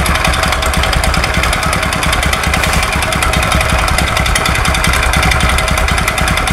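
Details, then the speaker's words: Honda Supra X 125 carburetor motorcycle, history unknown: rapid hard metallic knocking, harsh throughout and worse when revved; mechanic's provisional guess is two knocks. "Suaranya sangat ekstrim sekali, apalagi ketika digas. Di sini suaranya amburadul Pak. Nah, menurut dugaan saya sementara ini ada dua ketukan."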